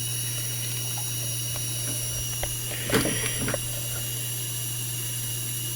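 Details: FSP 300-60GHA PSU, output capacitors replaced, under load with rails 11.93 V, 5.06 V, 3.33 V: several thin steady high-pitched whines over low mains hum, faint hiss and crackles; coil whine, owner suspects more than the 12 V capacitor.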